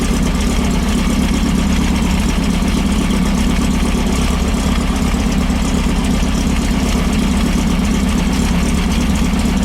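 Even, steady air-cooled rumble with no misses, popping or stumbles; the engine runs smoothly and cleanly.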